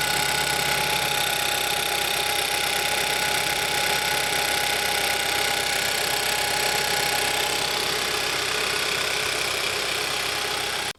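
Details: 2011–2015 Kia Optima 2.4L GDI just started after a valve cover gasket replacement: sharp fast ticking, about four per second, over steady idle; loud tick not heard before the job, cause unclear.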